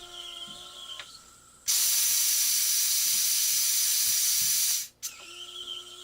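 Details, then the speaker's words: Challenger 357 air rifle after power valve upgrade, booster pump filling to 4500 psi; loud steady high-pitched hiss for about three seconds, then clean cutoff; normal booster fill, no leaks. "So now we're going to use the booster pump to push it up to 45."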